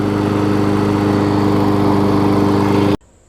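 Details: Murray 20-inch mower's six-horsepower Quantum-type Briggs & Stratton engine, transplanted onto a Craftsman deck with blade fitted, holds a steady, even drone for about three seconds, then shuts off cleanly; runs good.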